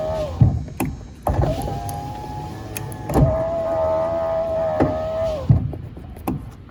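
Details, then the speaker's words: 2004 Ford F150 FX4 driver-side power window that had failed to roll up now cycles normally during troubleshooting; motor whine rises and holds between thumps at each end of travel, some popping heard inside the door. "All right, now y'all gonna think I'm making things up here. that window I know wasn't working before. That was my driver's side."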